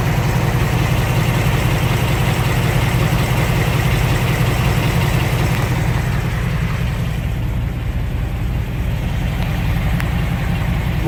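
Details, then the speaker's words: 2018-2019 Ford Mustang after a Ford dealer oil change, previously ticking instantly; after the rev it settles into a smooth, even idle with no top-end ticking or tapping, no tick whatsoever, normal idle. "no take whatsoever that is amazing"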